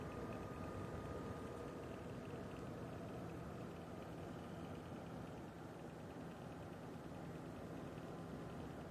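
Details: PC makes a steady, even whirring hiss with a faint thin tone and no rhythm, for the past few days; an odd fan-like noise of unknown cause.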